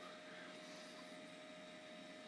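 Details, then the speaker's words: Dell Dimension 2100 desktop pulled from recycling, first power-on; thin steady whine over airy rushing from a terrible-sounding fan, power supply smelling warm, no video signal. "oh listen to that hard guys oh that's wonderful something some kind of fan in there that's just sounds terrible"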